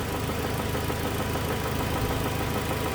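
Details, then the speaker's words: 2007 Toyota Tacoma 2.7 four-cylinder, warm idle and revs: deep regular bottom-end knock about three per second, worse with injector 1 cut, possibly changing with cylinder 3 cut; teardown found spun connecting rod bearing. "we're going to use a scanner to individually kill injectors and see if the knock diminishes it actually sounds worse when we kill injector one"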